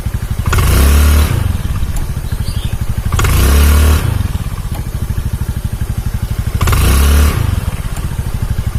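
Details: Honda Beat carbureted scooter after replacing a snapped CVT V-belt kit: even engine firing with periodic throttle blips and no slapping or rattling from the drive; it runs smoothly.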